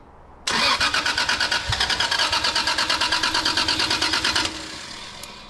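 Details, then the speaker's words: Toyota Soarer twin turbo on a stock twin-turbo base map, first start after ECU fitting: engine catches, runs rough and uneven for 2–3 seconds, then dies; fuel starvation, later traced to low fuel pressure from a slit fuel pump hose and rusted tank. "so car will start up and idle for 2 3 seconds and it sounds like it's just completely losing Fuel and uh dying"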